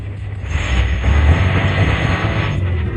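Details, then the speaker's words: Car that stalls at red lights despite new plugs, cleaned valves, lines and pump: starts fine but with low uneven rumble, no idle speed, stalls when easing off gas; clogged idle speed regulator. Idle speed control fault. "it starts fine but watch when I ease off the gas see that it stalls on its own any idea why"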